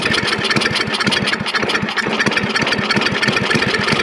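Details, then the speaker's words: Snapper I 422 two-stroke snowblower, non-running and suspected of bad gasoline and a dirty carburetor, started with primer and choke after carburetor work: catches and pops in quick uneven bursts, won't settle to an idle yet. "come on nope nope doesn't really want to idle"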